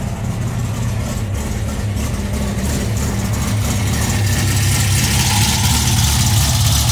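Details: VW Bug with Weber 44 IDF carburetors, new CB Performance Black Box ignition, emulsion tubes and velocity stacks just installed: deep, even burbling idle with steady low rumble, no misses or knocks; sounds strong and healthy.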